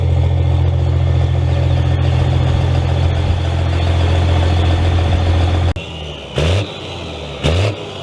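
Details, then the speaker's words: Second-gen Cummins diesel in a 3500 dually pickup, startup (not a cold start) after a year at the shop for transmission repair: steady even idle with firm low rumble, then two clean throttle blips, running healthy. "i won't go ahead fire it up sure is good to hear that again"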